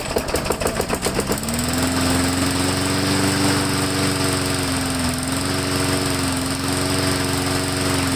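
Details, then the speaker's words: Lawn mower run right up until it was replaced, engine starts rough then drones with pitch wandering up and down, surging and hunting; owner suspects a clogged air filter from very dusty, dirty use, not yet checked. "So before I do anything, I'm going to pop this air filter off and see if it's clogged, because it is surging and, you know, hunting a little bit, and it almost sounds like the air filter might be clogged."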